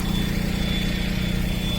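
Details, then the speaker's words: Honda Del Sol with a freshly swapped B20 engine, first runs: a steady idle with a thin, constant high whistle over it that doesn't waver; the source of the whistle is unclear. "and then that little like that whistle is gonna annoy the [ __ ] out of me so"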